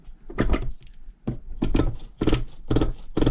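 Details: 22-year-old engine after a pull-start repair for a missing one-way bearing: about five quick pulls, each a short whirring spin that catches every time with no slipping. The starter engages properly.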